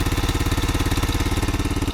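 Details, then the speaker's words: $40 used ATV idling after test ride, with new wiring harness; steady, even single-cylinder idle thump with no knock or miss, but visible smoke; owner suspects the head gasket may need replacing. "A little smoke there. I think that's probably um maybe I got to replace the head gasket, but you always find those cheap parts on Amazon."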